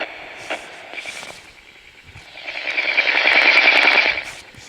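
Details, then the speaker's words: Sokol 403 USSR transistor AM radio: harsh buzzing rattle with thin high whine through the speaker from interference pickup; the radio also has crunchy random static and weak volume, possibly a bad transistor or capacitor. "Uh, but you'll hear the little crunchy static thing. It could be a bad transistor."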